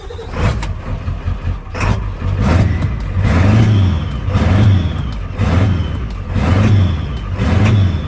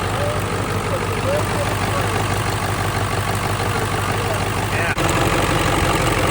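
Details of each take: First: Ford Powerstroke diesel truck after a new lift pump swapped from another truck and cranking with ignition off to purge air; engine surges and sags about once a second, never settling into even idle: diesel surging from air in fuel, rusty tank suspected. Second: Ford F250 Powerstroke diesel after fitting a used starter and reconnecting the PCV: steady, even diesel clatter at idle with no misses or knocks, smoking much less than before.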